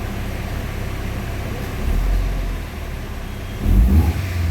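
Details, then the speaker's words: Mitsubishi Galant Shark automatic. Idle drops about 500 rpm with shaking in drive and reverse, and wanders with headlight, hazard and aircon loads, never settling: rough idle. "Bumagsak ng 500 neutral umangat drive 500 may kasama nginig. Ayan oh. Bagsak ng 500 may kasamang inig neutral natin yan neutral walang nginig reverse walang nginig kaunti lang"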